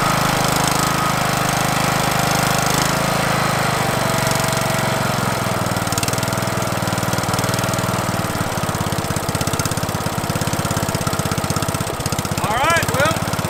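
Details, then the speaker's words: Craftsman LT1000 mower, Briggs 17.5 HP OHV engine, after new carburetor, fuel lines and air filter: catches and settles into steady even chug about three beats a second, no misses or knocks; running normally. "Now let's start it up and see how she runs. All right, time to give it a test."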